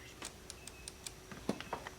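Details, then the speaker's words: Faint, crisp ticks at an uneven pace in a quiet setting: a fuel injector on the four-cylinder of a barn-stored Volvo 760 Turbo wagon, sitting over 15 years, clicking on its own and opening normally during revival. "The last one's actually clicking. I'm not going to have to mess with it."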